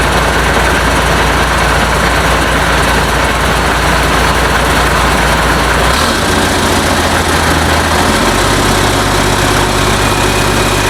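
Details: International DT466 diesel for a 1966 Ford F250, first start after fuel priming, no muffler: loud open clatter at steady idle, speed stepping slightly twice, no knock; runs well, oil pressure unchecked; normal idle.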